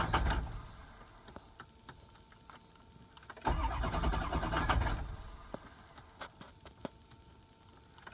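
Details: 6.0 engine, crank no start: two separate spells of starter churning in a quiet bay, each lasting a second or so, but the engine never catches.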